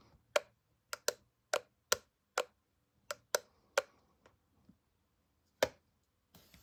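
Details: Preordered Apple MagSafe Battery Pack: sharp, irregular dry clicks, about ten in seven seconds, in a quiet room; clicking noise from the pack, cause unknown.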